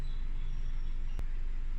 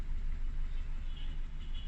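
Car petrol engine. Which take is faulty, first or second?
second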